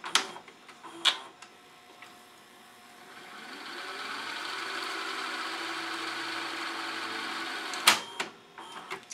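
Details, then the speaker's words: Sony SLV-740HF VHS VCR after cleaning and relubing the gummed friction clutch: smooth rising motor whir that holds steady during rewind, then stops with clicks as tape is taken back up; rewinds cleanly. "jacked the trip takes the tape back up perfect"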